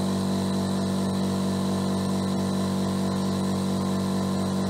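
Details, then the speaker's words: Mollar AC1550BP-R Black Panther 50 L oilless silent air compressor (1 HP/750 W, 2,850 rpm, 8 bar) filling tank from 0 to 8 bar: steady even drone, low hum, no knocks or rattles; meter reads about 70 dB, quieter than normal speech; normal running. "berada di sekitar 70 desibel. Jadi desibelnya naik ketika saya berbicara ya teman-teman. Jadi intinya mesin ini lebih senyap dibandingkan dengan kalau manusia berbicara secara normal."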